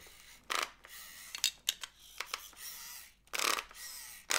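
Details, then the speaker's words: Loona robot pet with intermittent fault when twisting its body rapidly: small whirring motor with sharp irregular clacking as the small cog rides over the large gear's teeth that rotate the robot; gear skipping. "See the motor that drives this silver thing here. It's the motor that drives this with this little cog, this large cog, and makes Loona rotate on a."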